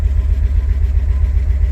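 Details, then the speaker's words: 1984 Porsche 928 V8 idling at first start after 16 years sitting, started on starting fluid after ignition and fuel system cleanup; deep lumpy idle with occasional stumble, missing a little. "it cleaned up very well and started right up it's missing a little bit as you'll hear in the videos"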